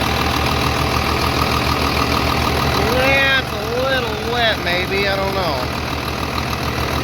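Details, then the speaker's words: 3588 at 7,338 hours, idling on a freshly rebuilt engine with new cylinders and pistons; low, even, steady thrum with no knocks or misses, smooth and very quiet; a slight line leak was found, to be tightened; normal diesel idle. "there it is we got 7 338 hours on it with a brand new engine looking good sounding good i can't believe how quiet it is"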